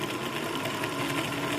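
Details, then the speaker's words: Sewing machine bobbin winder not engaging: pressing the foot pedal, the motor and gears whirr fast and evenly inside but the winder will not turn until prodded by finger; the bobbin winder rubber gasket (tire) is suspected worn. "It's not moving. You can hear it. You can hear the gears turning inside, but this will not move."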